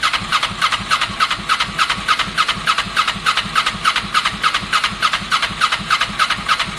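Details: Kawasaki ER6n project bike, first start-up attempt on a borrowed new battery with old fuel in the lines: very even starter cranking about 3.5 turns a second, never fires. Crank no start; owner unsure whether spark is present, cause unconfirmed.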